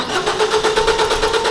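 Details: 2014 Ford Focus after timing chain cover replacement, crank sensor replaced twice: starter whirs steadily with even cranking beats but never catches despite spark, fuel pressure and cam-crank sync; mispositioned crank pulley was the cause, repositioning fixed it.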